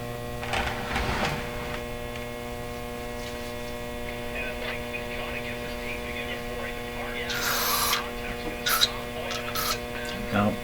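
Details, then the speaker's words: RCA Victor 911KG console radio during checks of its motor-driven tuning system: steady, loud buzzy mains hum under everything from the speaker, unchanging; hum cause not yet found; dirty switch noted. "That's a mean hum. Why are you humming so much? Kind of a buzzy hum."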